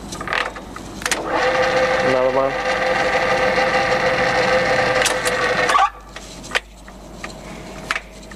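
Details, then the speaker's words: Colchester Student centre lathe, later model, three-phase, 1500 rpm, in really good original condition: steady gear whine for a few seconds, then a clean spin-down with no grinding or clunks; gears, clutch and brake all work nicely, gearbox healthy. "it goes in and out nice even it works nice on the clutch and the brake etc so no problems at all"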